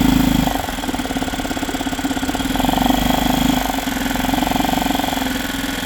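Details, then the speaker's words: Yamaha 2.5 hp four-stroke outboard with a newly installed aftermarket carburetor. Started first pull and runs with a steady, even beat of about three pulses a second, no misses or surging. Normal running. "Not bad for a first time. Started right up first pull."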